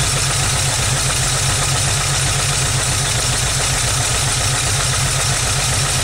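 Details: 1991 VW Vanagon Carat just after a cold start, off the temp 2 signal: rough, choppy, uneven idle jumping between 600 and 1000 rpm; runs rich with black watery soot, intermittent, cause unknown.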